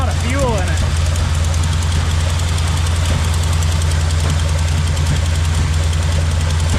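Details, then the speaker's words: 1971 Chevy K-20 after 15 years sitting, smoking heavily: lumpy idle, uneven beat about two and a half pulses a second, one cylinder dropping out; owner suspects a misfire from a plug wire put on wrong. "I got a plug wire on wrong yeah we could be just missing the cyinder"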